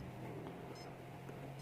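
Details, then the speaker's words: RC servo tester with its potentiometer removed, output wired to the speed controller: quiet background with two short high beeps about 0.8 s apart, repeating; the ESC is warning that it gets no throttle signal. "Jadi di motor blasternya akan bunyi seperti apa? Berlaser apa? Bunyi tit tip begitu."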